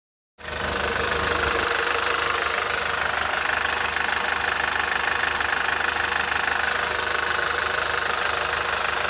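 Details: Audi TT 225 quattro idling, oil and filter changed days earlier: fast regular knock, three or four a second, under engine hiss; goes away after accelerating, returns much later; owner says sounds worse than it is.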